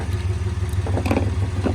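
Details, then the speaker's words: 2004 Jeep WJ idling after a muffler and tailpipe replacement: a low throbbing idle with a puffing, clattery pulse. It sounds much better, but a small exhaust leak is still present somewhere. "All right. There's definitely still an exhaust leak somewhere, but"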